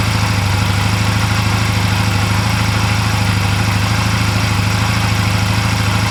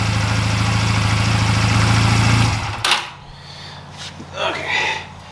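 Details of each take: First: 2004 Honda Rebel CMX250C twin idling on new NGK CR6HIX iridium spark plugs, after CR6HSA plugs made it idle poorly. Steady, even low thump with regular firing, no misses or stumbles; clean, healthy idle. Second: 2004 Honda Rebel CMX250C with one new and one old CR6HSA plug, idle turned down: low uneven beat with slight stutter, then shut off; rough idle, suspected bad new plug.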